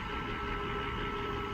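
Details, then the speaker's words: 1995 Mercedes S600 V12 idling while warming up, not yet at operating temperature: smooth, even idle with steady low drone and no knocks, misses or rattles, running fine. "ut yeah i mean you can already feel it like it's it's fine it's just like it's nothing wrong"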